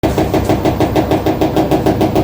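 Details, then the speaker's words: Washing machine during spin: fast, heavy rhythmic knocking like a jackhammer; the drain hose strikes the side wall because it was installed incorrectly, fix is to secure it from below and route it bending downward. "Для этого нужно подобраться снизу и закрепить сливной шланг. Это он стучит об боковую стенку [музыка] и издаёт такие звуки."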